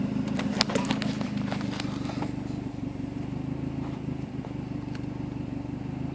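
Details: Mazdaspeed3 with high fuel trims: steady idle with a slightly uneven, lumpy pulse and some wavering; rough idle, cause not clear by ear.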